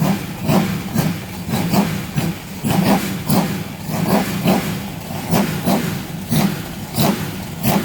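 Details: Rover V8 race car first start after replacing both head gaskets with inlet manifold removed, battery at 12.3 V, not yet run up to temperature: repeated throttle blips rise and fall cleanly, no knock or misfire, very smoky but sounding fit.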